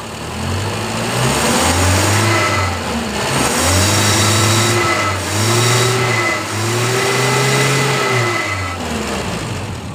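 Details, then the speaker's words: Revving test on a gas-fuelled 4-cylinder car after reducer tuning, with the carburetor drained of petrol and the fuel pump removed; the engine blips and climbs cleanly to about 6000 RPM, measured with an RPM meter, then drops back to idle with no hesitation; normal free revving. "bisa menjerit ya sampai sekitar 6000 RPM"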